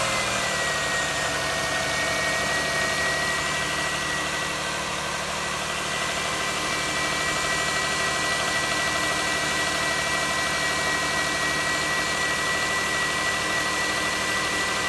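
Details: Lexus RX300 at idle: a thin, constant high-pitched whine sits above the engine note; owner suspects the alternator, unconfirmed.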